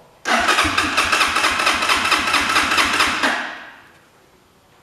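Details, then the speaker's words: Italika motorcycle just filled with 100% ethanol: steady cranking about two turns a second that never catches; no start because the fuel tap was closed. "que no quiere arrancar. A lo mejor de que se vació el... Ah, es que está cerrada la llave de gasolina."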